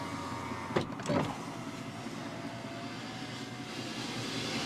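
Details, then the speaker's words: 2004 Mercury Mountaineer, 4.0 V6 AWD, 217,764 miles: a few clicks then a steady, quiet electric whir as the driver's window goes down and up smoothly with no binding; one other window is a little sticky. "Alright, all the way down, all the way up, and the most important one, driver's side. No problem there."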